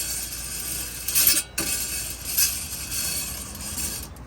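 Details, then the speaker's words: 2006 Dodge Dakota SLT 4.7 4WD with the front rotor removed and the hub spun by hand: dry, gritty scraping and grinding that swells with each turn. This is a worn front wheel bearing that is being replaced. "Just imagine going down the road and that scraping and grinding. So that is what we're going to be replacing."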